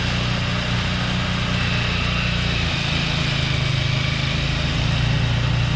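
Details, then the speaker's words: Craftsman 2-stage snowblower engine after adding fresh gas, unstarted 2 years before: steady low drone under load blowing snow, even throttle, no stumbles or hunting; runs great. "So while this thing started up and runs great, right? No hesitation on the engine."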